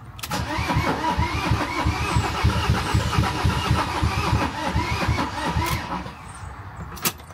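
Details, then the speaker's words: Van that won't start after bleeding the injectors, air now coming out, Easy Start sprayed: the starter spins steadily at about four compressions a second but the engine never catches; cranks, no start, cause unknown. "getting any air bubbles or anything out of the um injectors but now when we crank them off there is air coming out so we're hopeful it might go"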